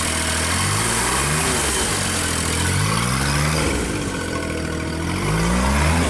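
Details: JLG Baby Scissor lift small engine, cold day, new crankshaft position sensor fitted; with a function engaged engine speed swings up and down about every second instead of holding.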